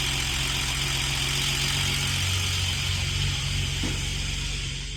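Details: Old inline-six in manual BA Falcon drift car, failed halfway through a morning event: rough idle with a steady metallic rattle-knock about four beats a second, internal engine damage; engine replaced with a green top Barra.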